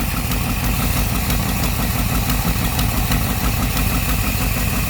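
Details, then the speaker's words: 1964 Thunderbird V8 at idle after an engine flush and lifter additive: faint light tick over a low rumble, improving. Slight lifter tick. "slight now. I also added some lifter additive from moly. So I think this is starting to get better."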